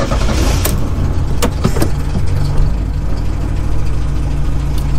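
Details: Cold start of a TSD rally car (clutch just replaced, driven to work that day): a few clicks and a quick crank, then the engine catches and settles into a steady, even idle with no knocks or misses; normal cold start and idle.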